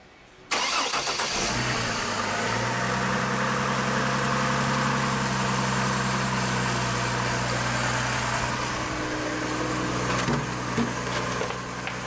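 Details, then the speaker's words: 2004 Chevy Trailblazer just after water pump and thermostat replacement, cooling system filled with water and being burped. The engine cranks, catches quickly and settles into a smooth, steady idle with no knocking. Healthy start. "okay that works it's going to start though okay yeah it looks good"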